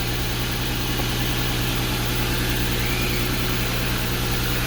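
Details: 2012 Porsche Cayenne after jump-starting a low battery, having sat a couple of days: steady, even idle with a smooth low rumble and no knocks, misses or hunting; engine running healthy.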